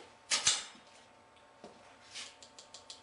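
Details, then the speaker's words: SOG Pentagon Elite II (Arc-Lock) vs Cold Steel XL Vaquero (Tri-Ad lock) after strike testing: sharp light clicks, about five a second after a louder knock, as the blade rattles in the lock with a lot of play and the cam nearly all the way over. Still usable, the blade never came out. "But yeah, it sounds bad, but it's pretty still usable because it never came out."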